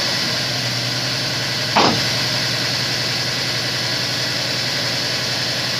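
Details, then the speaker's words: Honda S2000 after melted number-one coil pack; second startup, quick throttle blip settles back to a steady, even idle, no misfire or stumble; much better than rough first start; normal revving. "it sounds much better that first start was a little rough the second started sounds a lot better"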